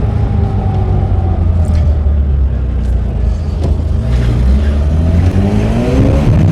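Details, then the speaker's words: 1983 Mazda RX-7 rotary on its first test drive after 2 years not running: a smooth rising note pulls cleanly through the revs over road rumble. It feels like full compression with no power loss, so the apex seals seem fine despite the worry after sitting. "feels like full compression I don't feel any power loss so that's good because I was worried that the Apex seal would have taken a hit from it sitting for so long"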